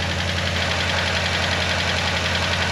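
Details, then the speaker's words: Hemi Dodge Ram started after being parked 2 years, cold; quick light ticking over a steady loud idle, typical Hemi lifter tick, hoped to go away. "ticket ticket ticket ticket ticket ticket ticket anybody who has a hammy recognizes that noise right away"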